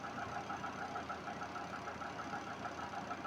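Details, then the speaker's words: Twin-tub washing machine spin motor with replacement capacitor of higher voltage rating, tested with empty drum; even motor hum with a gentle regular pulse as it picks up speed, no scraping or grinding: normal spin motor acceleration. "Ahí está acelera bien ahí se escucha Cómo acelera sin problema no hay sonidos"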